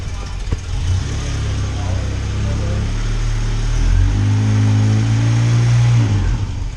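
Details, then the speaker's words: 1989 Volkswagen Cabriolet after repairing a major exhaust leak, bolting the exhaust up, and replacing the heat-cooked starter and starter wire: smooth low idle, then clean rev up and back, no puffing or ticking; normal, far quieter than before. "that's like that's like a hundred times better damn couldn't hear ourselves talk over the car last time"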